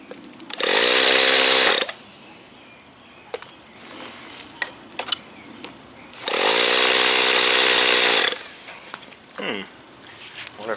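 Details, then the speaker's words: OS Wankel rotary on 5% Omega fuel with extra castor and a 10x4 APC prop, restarted after stalling: high buzzing fires briefly, cuts out, fires again and quits. The igniter was fine; the engine had overheated. "all right let's try and fire this thing up again my igniter was not dead the engine just overheated"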